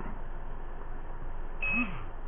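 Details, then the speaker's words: Turnigy 9XR Pro transmitter with Banggood 4-in-1 multiprotocol module v1.2: one short, high beep over a quiet hiss as it repeatedly sends the bind request, but the receiver never binds. "I got the hepatic on it's sending the bind message or whatever it is every few seconds to no avail"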